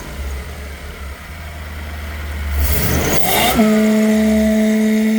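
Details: Lexus 1UZ-FE V8 on Link Monsoon ECU with 2-wire idle speed control valve of different manufacturer, no heavy-duty hose: as revs rise and drop back, steady pulsing buzz appears and holds; idle control valve resonating.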